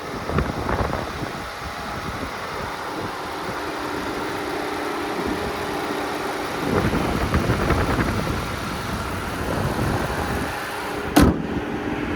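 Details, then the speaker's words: 2014 Ford Flex AWD, 3.5 L twin-turbo EcoBoost V6; water pump replaced by a shop about 20,000 miles ago: smooth, even idle with a faint steady hum and no knocks, ticks or misses; normal healthy idle. "Here's that 3.5 liter twin turbo V6, known as the EcoBoost. You can hear it sounds very healthy."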